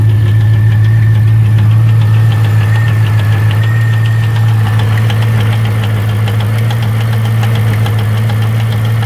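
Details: C5 Corvette Z06 at steady idle with a sharp light tick about three and a half times a second over a deep hum; persistent top-end tick, owner suspects valve, source unconfirmed.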